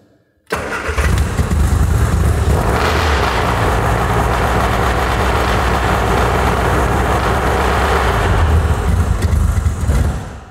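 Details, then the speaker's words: Cold classic-car engine started on full choke: two or three beats of the starter, about one and a half turns, then it bursts into life and surges to about 2000 rpm; over-fast full-choke flare that wears this engine. "right so what happened there was i think it was two or three beats of the starter motor so it was probably one and a half turns of the engine and then it bursts into life and all of a sudden it's doing 2000 rpm"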